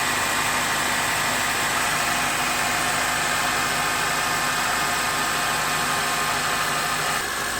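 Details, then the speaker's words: 2003 Honda Accord 2.4L K-series four-cylinder right after serpentine belt replacement: steady, even idle with a constant hiss from the belt area, no squeal, chirp or slipping, belt drive running normally. "all right sounds like we're good so what I was listening for immediately was to see if the belt may have potentially slipped off a pulley or caught on something or squealing"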